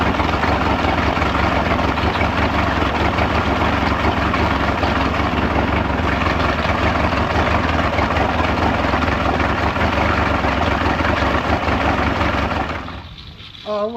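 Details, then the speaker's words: Mid-1990s Mercury 115hp inline-4 two-stroke outboard on a Ranger bass boat, owner-reported loss of power, rectifier found removed (16 amp stator); steady low idle with even beat, no misses, then drops away. Normal idle. "I remember I fired this up the other day and I was like, man, this thing runs great."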